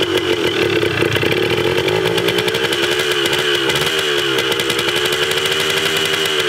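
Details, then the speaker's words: 1980 Yamaha DT/GT 125 Enduro two-stroke warming up after its first start with an uncharged battery, and the tachometer works. A crisp, fast popping idle holds steady with a bright ringing edge. It runs cleanly; the carb probably still needs cleaning. "Didn't sound too bad either. Pretty stoked about that. Tachometer works. I didn't charge the battery yet. I'm just stoked she runs. Warm up a little bit."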